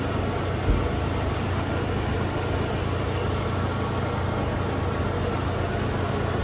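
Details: Loren Cook restroom exhaust fan on its own switch, high power rating and fast startup: steady low roar at full speed with a loose, uneven rattle; grille may have been hit, needs maintenance, cause suspected, not confirmed.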